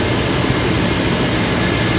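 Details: 1996 Chevy Tahoe V8 after installing a Mechman 240 amp high-output alternator on the factory belt, voltage checked OK with a meter; steady, even idle with a smooth low rumble, no knocks, squeals or misses; normal idle.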